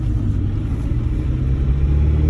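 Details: Suzuki Sidekick driving with both hubs unlocked, transfer case in 4H: low steady rumble from driveline with no clear rhythm; strange noise, cause not pinned down.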